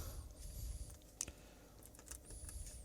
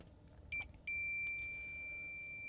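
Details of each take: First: Samsung 55-inch TV backlight strip connections: four short clean high continuity beeps over quiet room noise, every connection now good; backlights still do not come on. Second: Samsung 55-inch TV connections tested with continuity meter: two quick broken chirps then a steady high beep, contact only intermittent; suspects the set was left somewhere damp and the connections are unhealthy, plans to bridge them all.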